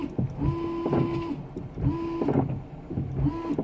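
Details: 2001 Ford Fiesta Mk5 with a replacement washer pump, bonnet down and reservoir topped up: three short, even bursts of steady mid-pitched pump whine, each about a second long, with strong spray; pump healthy, though the jets need aiming.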